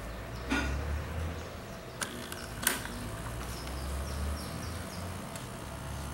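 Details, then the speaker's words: "Mini" air-conditioning condensate pump after vibration-reduction fix, pumping from full water container: low even hum with a few handling clicks; noise much reduced but still somewhat noisy. "realmente el ruido disminuyó bastante pero de todas maneras la bombita sigue siendo ruidosa"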